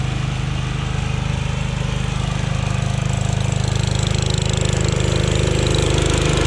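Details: Jacobsen Chief 1000 garden tractor with Kohler K241 single-cylinder, after fuel system work (drained gas, new fuel line), electric PTO engaged: steady even thump holding firm with the mower deck running, no misses or knocks; runs healthy under load.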